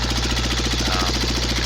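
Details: Cub Cadet Model 123 lawn tractor engine run with muffler removed: loud, rapid, evenly spaced hammering over idle with harsh exhaust; knock persists, not from drive shaft, cause unknown, some smoke suggesting oil getting up there.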